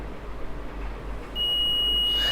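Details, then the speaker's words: Multimeter test of an LED: steady high beep for about a second as it conducts straight through, meaning this LED is blown/shorted and dead; shorted LED continuity beep. "So இப்போ ஏன் beep sound எனக்கு கேட்டுச்சு அப்படின்னா இந்த LED fuse போயிடுச்சு."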